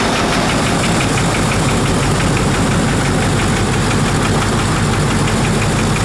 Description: Got it all together, fired up, and ran perfectly.